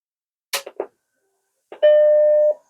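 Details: Vintage Macintosh, 4 MB RAM, booting from a BlueSCSI V2 SCSI drive emulator with the original hard drive unhooked: a few soft clicks, then one clear steady startup chime under a second; normal, healthy power-on.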